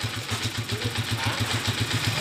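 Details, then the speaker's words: Honda TMX125 Alpha after 175cc conversion, original timing gear kept, carburetor cleaned: even, steady low thump at idle, earlier meowing noise gone, no whining; running smoothly, normal idle. "Yun oh. Napaka-smooth. Yan oh, original na timing gear yan mga kabro."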